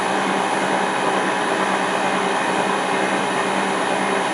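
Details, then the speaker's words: LT230 transfer case on a test bench driven by a speed controller: a steady high hum with a coarse rushing edge at constant speed from the rear; suspected worn rear bearing, not confirmed. "Oh, of course it won't work in this direction, but it does in the other direction. There's something noisy about the back here."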